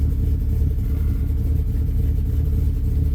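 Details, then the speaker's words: 2000 Dodge Ram after alternator removal for overcharging, first start with the battery reconnected: low, uneven, lumpy idle, stumbling and loaded-up. Idle memory was lost, so it is relearning; charging slightly low. "Battery was unhooked, so it's lost its idle memory. Charging a little low. It's going to run kind of rough here because it doesn't it doesn't have any auto memory"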